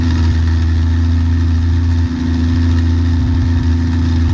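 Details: 1966/67 Chevy II Nova with a cleaned, swapped Rochester BV1 carburetor, primed with 40:1 fuel after sitting; steady low engine drone holds even with no misses or stumbles; normal idle.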